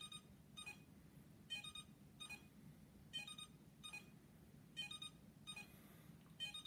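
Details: iLife V5 robot vacuum, a couple of days old, docked charging: short high beep bursts about every 1.5 s over faint hum; it charges and cleans fine but beeps, fault cause unknown.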